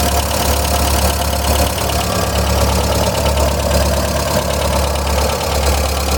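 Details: 1999 VW Gol 1.0 (AT engine) at idle: a fast, faint ticking rides on the steady engine note, like a light valvetrain tap. Owner suspects a lifter knocking, not confirmed.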